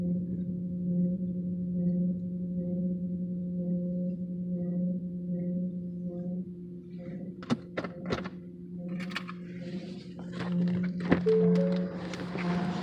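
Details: 2014 Ford Fusion: steady low humming moan from the fuel tank area lasting several seconds before clunks and rattles take over; car usually stalls after this noise, and the cause is unknown.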